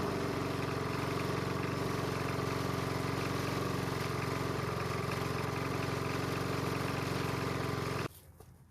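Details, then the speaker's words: Small two-stroke leaf blower after a spring no-start, carburetor manually primed so it likely cleared itself; steady, even drone at constant speed for eight seconds, then clean shutoff; normal running. "so the good news is that it stayed running more than likely the carb has cleared itself out"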